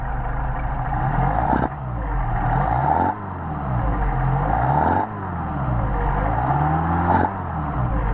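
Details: Mercedes 190SL with rebuilt Solex carburetors, warmed up, synchronized and idle raised, linkage adjusted. Several clean throttle blips, each rising smoothly and dropping back to idle without hesitation, popping or flat spots; normal revving.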